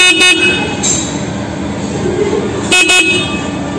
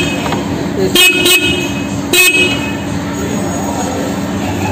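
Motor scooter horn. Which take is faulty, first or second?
second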